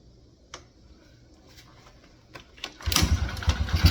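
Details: 2003 Yamaha TTR125 after a new float needle and float height correction fixed a leaking carburetor: a few clicks, then the single catches into a quick, even putter with no stumble; starts and runs fine.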